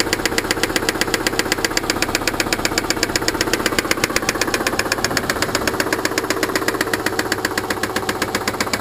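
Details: Subaru engine at idle: sharp, even knocking at about 158 per minute, too loud and regular for ordinary piston slap; owner suspects an internal knock beyond normal piston slap.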